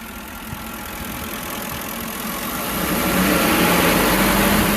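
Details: 2006 Ford 5.4L 2V V8 revving; steady tapping knock about four times a second, most pronounced around 2300 rpm and louder with engine speed, confirmed as rod knock.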